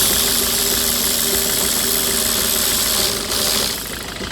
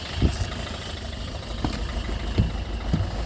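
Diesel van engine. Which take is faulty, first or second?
first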